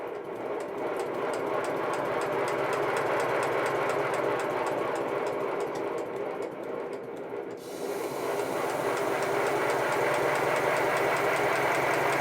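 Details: Homebuilt 1996 7¼-inch gauge 0-4-0 tank steam locomotive run on compressed air at about 50 psi from a small compressor: regulator opens, steady even chuff about three beats per second over air hiss; engine runs cleanly.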